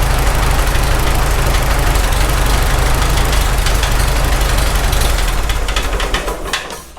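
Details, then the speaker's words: Farmall H tractor engine at idle, loose rocker wedged with screwdriver: dull knock about three a second that comes and goes before shutoff; owner thinks it's on cylinder 3, wedging the rocker didn't cure it. "It actually sounds the loudest right there. Shut it off, then restart, it went away. Now it's coming back a little bit. It's kind of coming and going. Weird."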